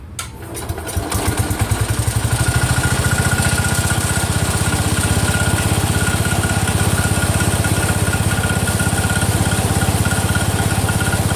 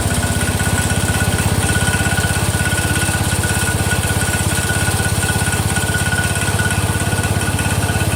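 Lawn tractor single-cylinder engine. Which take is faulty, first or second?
first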